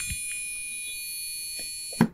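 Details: Used gaming PC with Gigabyte motherboard, heard through motherboard speaker cable: one unbroken high-pitched long POST beep, ending abruptly with a clunk; PC still POSTs and boots Windows 10. Cause unknown.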